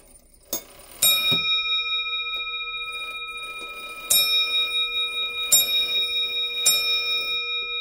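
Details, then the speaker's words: Early-1800s French lantern clock with Robert Dubois bell, before restoration (worn pivot holes, missing crutch); chime train started, clear ringing bell strikes decaying smoothly with a gap then several more; normal bell strike. "If we start this chime train, we can hear that beautiful bell go."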